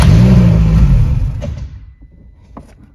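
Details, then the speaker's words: Car with ignition on, check light lit and fuel pump heard: after pressing the gas the engine catches, rumbles briefly, then revs sag and it dies within about 1.5 s. "Газ басып қалды едім. Көлік кейін бірден өшіп қалды."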